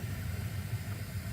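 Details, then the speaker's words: Gas water heater after replacing gas control valve and pilot light assembly: setting turned up, main burner ignites and runs with soft steady low rumble, no popping or flutter; normal burner operation. "we're gonna go ahead and turn the setting up to B and you should hear it ignite so now it's supplying gas through the main gas supply then we should have a nice glowing burner in there"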